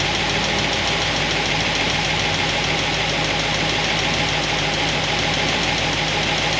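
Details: Solid roller lifter engine warming up, about 200 degrees, thermostat open, before valve lash check: quick light ticking about three per second over steady idle; valvetrain noise from pushrods rubbing guide plates.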